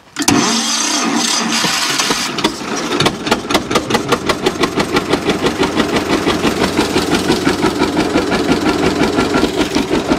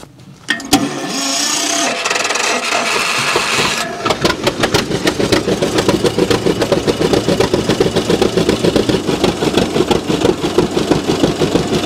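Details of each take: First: John Deere G tractor running on one cylinder, suspect plug wire replaced with a temporary wire: after cranking it catches into a lumpy, uneven chuff, about three per second with gaps; one cylinder dead, plug probably wet. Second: John Deere G two-cylinder tractor, previously running on one cylinder with a wet plug, after replacing the plug wires and fitting new Autolite 388 plugs: cranking start, then an even, steady two-cylinder putt with no misses, running properly on both cylinders.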